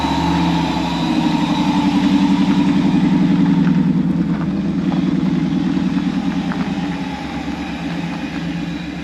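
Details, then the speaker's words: Truck idling before its in-tank fuel pump upgrade: fast, even engine beat with a thin, steady, loud whine from the noisy fuel pump. "You can listen to how loud the pump is, and then I'll show you everything I got to do this job."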